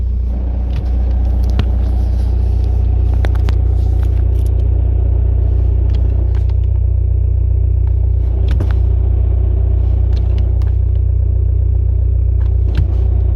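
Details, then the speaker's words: SEAT Ibiza 1.9 TDI with a six-paddle clutch plate (dual-mass-type disc) on a solid flywheel, clutch released from depressed: steady engine rumble with a rapid shudder of about three pulses a second; clutch chatter, considered normal for this setup. "So yeah, that's clutch chatter. But honestly guys, it's nothing to worry about. So don't be like, you know, too worried if you hear that with this setup. It's perfectly normal."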